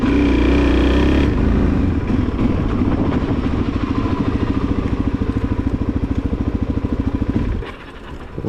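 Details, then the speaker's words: 2001 Suzuki DRZ400S single, 11,000 mi, sat spring and summer unused; uneven wavering beat that sags and stalls, owner suspects carburetor fuel bowl running low, cause not confirmed; engine stalling. "it did it again. Let's see. It might just literally be that fuel bowl. I'm thinking I'm just using it too much."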